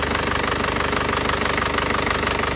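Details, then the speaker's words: Isuzu Panther diesel with cast cylinder liners after nozzle service and adjustment: even steady diesel clatter at idle, no rough beat; previously limping, now smooth and clear, no smoke. "Ini lihat suaranya halus"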